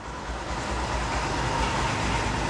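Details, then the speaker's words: Yamaha YTX 125 single after cold start following 10 days parked, left idling unaccelerated to circulate oil, carburetor well tuned: steady, even low rumble with no knocks or misses; clean cold idle. "Naka-idle lang siya nung in-start ko, hindi pa ako nag-accelerate So hinayaan ko lang siyang ganyan para mag-circulate yung oil niya,"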